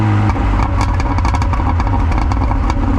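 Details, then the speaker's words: 1990s Mini Cooper S Sport 5 (John Cooper Garages), rough idle when hot, driving to warm up: rumbling engine off throttle with sharp irregular exhaust pops and crackles on overrun, several per second. Owner suspects overfueling. "One thing I've noticed it always does as well, which I always kind of liked, it pops and bangs on overrun. So which will kind of indicate it's probably overfueling."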